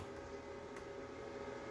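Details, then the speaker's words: Harbor Freight Titanium 125 flux-core MIG welder feeding wire: a soft, even motor hum with no whine or grinding, noticeably quieter than the old unit whose rollers whined; the wire feed is normal. "to try to roll it through it's a lot noticeably quieter than the old unit"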